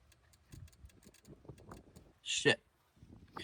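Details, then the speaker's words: 1985 Chevy C10 with an LS swap, crank but no start: quick, uneven dry clicks, about 5-6 a second, from a damaged wire shorting intermittently, suspected of blowing a fuse; once repaired, fuel pressure returns. "let's fix that real quick it is that wire cuz look at this right there it's got fuel pressure now"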